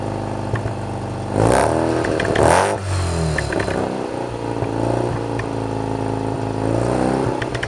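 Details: 1987 Mazda RX-7 rotary with Pacesetter header, custom test pipe and Borla catback, after fixing the exhaust leaks: smooth hum with clean throttle blips and no puffing, ticking or hissing. Much quieter inside; the exhaust is now sealed.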